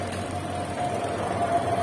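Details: Sanken twin-tub washing machine whose wash pulsator won't spin due to a faulty wash timer; spin-dryer tub runs normally: steady, fairly high even hum, no grinding or knocking; normal spin dryer operation.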